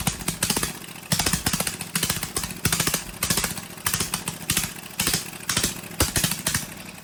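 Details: Briggs & Stratton 18 HP Vanguard twin, choke hand-held because it vibrates shut: very loud, harsh exhaust with a tinny rattle pulsing in bursts about once a second over the firing, from a loose baffle inside the muffler.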